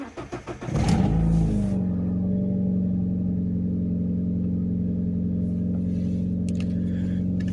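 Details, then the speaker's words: Alfa Romeo 156 Twin Spark, intermediate idle adjustment system, 24 hours after repair for a 3,000–4,000 rpm idle: engine catches first crank and settles into a smooth, steady cold idle that drops as it warms; possible exhaust problem, idle control appears to function correctly. "now with each passing second it should go down a little bit not not [Music] higher seem to have yes seem to have there a problem with with the exhaust but is dropping okay so it is functioning correctly at least it appears to be"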